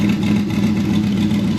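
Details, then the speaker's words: Newly rebuilt Gen 4 aluminum V8 running after install, 60 psi oil pressure: steady even hum with no knocks, ticks or misses; runs smooth and healthy. "so i got 60 psi of oil pressure dual pressure 122 coming up stuff's coming up now let me get out sounds healthy"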